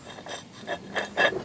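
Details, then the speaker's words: Toyota Tarago/Previa/Estima (TCR10) old water pump turned by hand, its seal out of its seating and grinding against the pump housing, letting water out. Short scraping rasps that quieten when the seal is pushed back onto the bearing. "If I push that onto the bearing properly, you can hear it quietens up. So what's happening is this is grinding against the pump as"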